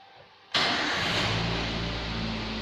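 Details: 2011 Toyota Avanza VVT-i during engine management system servicing with a scan tool connected: engine catches at once and settles into a steady, even idle with no hunting or stalling; normal start and idle.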